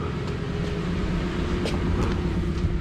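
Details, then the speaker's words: 1999 Infiniti Q45 V8 (VH41DE), 190,000+ miles, after throttle body cleaning to cure rough idle and shaking: now idles smoothly in drive and reverse with normal rpm, no shaking; low even rumble, no hunting. "the baby started and i already put her in drive and reverse and she's not shaking anymore my rpms are back to normal"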